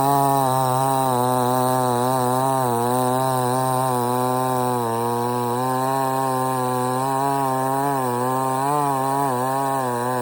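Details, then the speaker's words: $97 Temu Chinese gas chainsaw cutting a partly rotted but substantial stump: steady high scream wavering slightly as it bites, no bogging, a couple of stops; cuts like butter, healthy. "this is partially rotted, but it's still pretty uh substantial, and it didn't even hardly phase this thing. Had to stop a couple times, but for the most part, it cut right through like a like butter."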